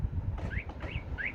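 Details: 2019 Vauxhall Movano with a newly fitted Starline E96v2 van alarm, disarmed with the existing remote, chirps set quiet for night time: three short quiet rising chirps about 0.4 s apart over low background rumble, normal disarm acknowledgement.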